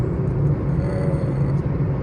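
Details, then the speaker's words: 2016 Toyota Passo 1.0 while driving, after repair of a misfire and poor pickup (cleaned clogged fuel filter, catalytic converter and injectors, full tune-up): a smooth, even low rumble with no knocks, ticks or whine; now quiet and healthy. "माशाल्लाह से गाड़ी बहुत soundless हो गई है किसी किस्म की कोई आवाज नहीं है बिल्कुल साउंडलेस कैपन हो गया"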